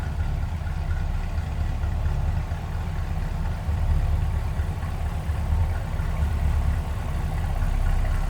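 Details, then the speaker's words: 1965 Chevrolet Impala SS hardtop, 327 V8, new tailpipes: deep, even low rumble with steady loping beat, no knocks or ticks, throaty exhaust note; normal idle. "Nice little rumble out of that 327. Nothing crazy, but nice deep throaty exhaust note."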